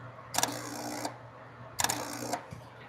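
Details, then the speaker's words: Vehicle cranking while checking relay K3: two short bursts of harsh electrical buzzing, about half a second each, over a low hum; a relay chattering in the starter circuit, sounding like something is broken. "Well, that didn't sound good. That sounds like something's broke. Let's find out."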